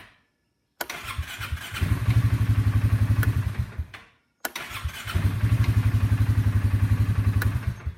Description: You will see and hear when the starter has a bad section.